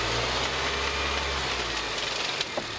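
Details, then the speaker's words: 2006 Mini One R50 Tritec engine after timing chain replacement, at idle: loose tinny metallic rattle with sharper clacks near the flywheel end, changing with clutch pedal; owner suspects clutch release bearing or something loose, unconfirmed. "You'd almost think it was a piece of metal being whizzed around by the flywheel. Is it a bearing?"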